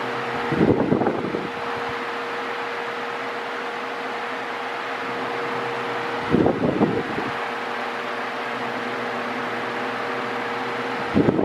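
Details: Mondial Maxi Power 40cm 140W V-40-B fan, new, oscillating: a loud, steady mid-pitched motor hum with a rattly surge every five to six seconds as the head oscillates. The owner finds the motor too noisy, even on minimum.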